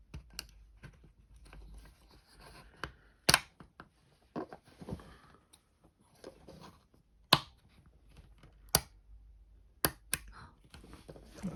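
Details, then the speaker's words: John Deere skid steer rocker/parking brake switch AT405202 after repair with the white piece straightened and seated further: crisp, distinct single clicks stepping through each position; firm detents, switch working as it should. "think you fixed it that's how it's supposed to sound ladies and gentlemen it's supposed to click here to turn the parking brake on and then right there and then one more"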